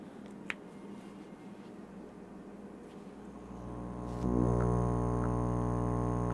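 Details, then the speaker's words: CoralLife Tetra Luft air pump (rheostat, min to max) after diaphragm replacement kit fitted: quiet start, then a steady even low buzz at constant pitch; diaphragm pump running properly again. "You hear it buzzing. So now I got a working backup Luft pump again."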